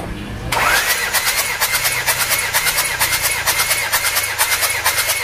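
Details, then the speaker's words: 1997 Panther diesel with heavy oil consumption, cranked by the starter during a compression test; an even, steady beat of about one stroke per second; cylinder reads 26 bar against a 21 bar minimum, so compression is good. "Oke 26 bar teman-teman kompresinya standar sebenarnya 26 bar itu masih bagus karena bawahnya itu ada di 21"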